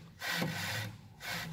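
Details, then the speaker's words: 2012 Volkswagen Passat stabilizer link flexed by hand: dry rough creak and grinding rub in bursts, exactly matching the speed-bump noise; bushing rubber has failed. "그러니까 이 소리가 그 반지터 넘을 때 이 소리 있잖아요. 딱 똑같죠?"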